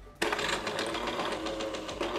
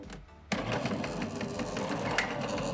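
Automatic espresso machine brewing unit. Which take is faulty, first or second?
second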